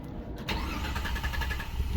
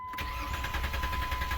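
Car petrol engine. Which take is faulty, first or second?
second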